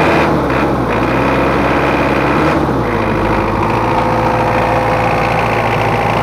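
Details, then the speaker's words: Mitsubishi Kuda diesel (L300-type engine) after an engine overhaul, with complaints of rough sound, thick smoke and high fuel use. Injection pump pressure gauge fitted. Harsh, clattery, lumpy idle, later traced to a missing ring inside the lower injection pump. "terus untuk suaranya itu agak kasar nanti kita setting dan ditekan and inner pressurenya ini kurang pas"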